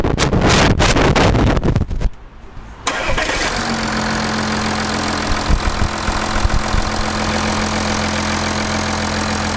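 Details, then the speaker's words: Audi A6 V6 TDI diesel, first start after timing chain replacement: clanking work noise, short crank, quick catch, then steady even idle with no knock or rattle; healthy. "pour le moment tout va bien je vais la laisser tourner le temps de remonter toute la face avant"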